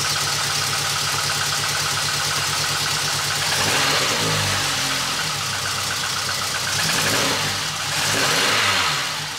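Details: VW Golf 2 GTI with Digifant injection, idle after replacing injectors made no change; lumpy uneven beat about four pulses a second, staying rough through throttle blips, feels like a cylinder missing: misfire, cause unknown, fuel flow suspected.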